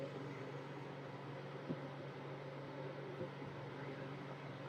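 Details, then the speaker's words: VEVOR 2500W sump pump battery backup inverter running a fan as AC power is restored and it starts charging the battery: a quiet, steady low hum with no dips, surges or pitch change; the switchover is seamless. "I plug the cable in. The power's turned on, and I did not see that fan even flicker. I mean, it is still running 100%."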